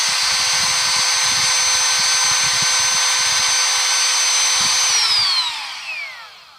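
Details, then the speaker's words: Milwaukee rotary tool with faulty speed control, started by inserting the battery with the switch already on. It screams steadily at full speed, never dropping to the dial setting of 2, then winds down when cut off; dangerous, a warranty claim may be tried. "So it only works when you have it already in the on position, and it only works on high speed, which I've tried using it like that a few times, and it's actually very dangerous."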